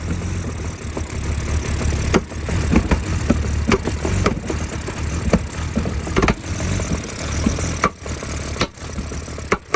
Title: Help!!! 2004 BMW E46 325 CI Rough start, idle and popping sound from intake manifold.